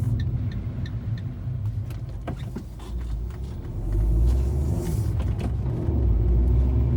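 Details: 2013 Fiat 500 driving: road rumble with sharp clicks and knocks from under the car over bumps and potholes; cause not yet found.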